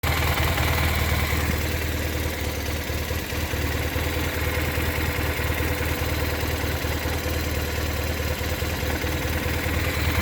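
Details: BMW R1200R at idle: steady low boxer idle with a loose, uneven metallic rattle riding over it; rattle suspected from the transmission, source unconfirmed.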